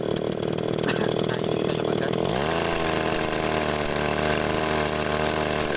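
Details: Small two-stroke agricultural sprayer engine after new spark plug fitted, carburetor being checked: buzzes high and steady, then settles to a lower even drone with no misfire or sputter; runs normally.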